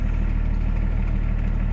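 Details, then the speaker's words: BMW 525 tds started after injection pump adjustment, idling with a steady, even smooth low rumble and no knocking; knocking would mean a misadjusted pump. "faut pas entendre claquer si vous entendez claquer c'est pas bon avec la pompe est mal réglé"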